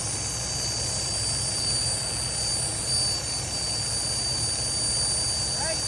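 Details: Freightliner Cascadia DD15 diesel: steady high-pitched whistle over diesel rumble as air leaks from the engine fan solenoid's exhaust port, keeping the fan on and draining secondary air pressure; solenoid being replaced.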